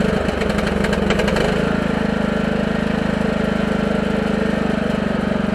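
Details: Husqvarna lawn tractor single-cylinder with electric fuel pump and return-line pressure regulator allowing idle, started at about 36°F after sitting all winter: brief rough catch then steady, even idle, regular firing, no bogging; normal.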